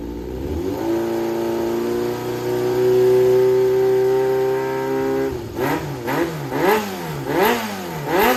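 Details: Yamaha XJR400 (4HM, early model) running engine assembly, compression tested, no abnormal noise or white smoke; steady four-cylinder hum then crisp even throttle blips, no knocks or rattles; healthy engine.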